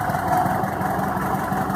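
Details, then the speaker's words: VW Beetle (Fusca) air-cooled petrol engine idling evenly after the old, dried-out, overaged belt was replaced; steady pulse and smooth fan whir, the earlier strange noise gone. "agora com a correia nova o barulho sumiu isso indica que esta correr aqui ela realmente ela já estava muito ressecado"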